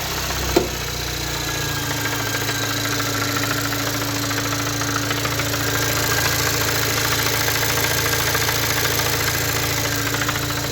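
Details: 2017 VW Golf R (MK7) towed in with the low oil pressure light on, at idle: a dull, slightly uneven knock of about 3.5 per second over the engine hum, worse with the clutch pressed. The pan was pulled and a broken thrust piece was found.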